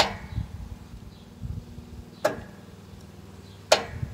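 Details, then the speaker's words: Yardworks 42-inch 155 series riding mower, boosted from a dead 7.47V battery: three sharp solenoid clicks with no cranking. Multimeter shows no 12V reaching the starter cable, so the solenoid is not passing power between its terminals. "So we can hear the solenoid clicking, but 12 volts is not being supplied to the starter cable, which means that it's not a case of a burnt out starter where 12 volts is going to the starter, but it's simply seized."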